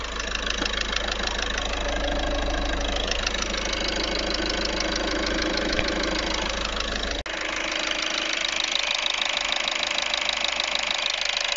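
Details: Audi A3 1.6 TDI (CAYC) diesel at idle: loud, sharp, regular ticking knock about two per second, seeming to come from the rear of the engine. Acceleration also sluggish; cause unknown.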